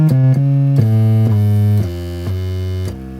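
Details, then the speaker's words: Akai X7000 sampler after recapping power supply board to cure line-output hum: clean synth notes stepping down, decaying to quiet with no low hum at full volume; normal audio output. "So that's all working, sounds good, no hum."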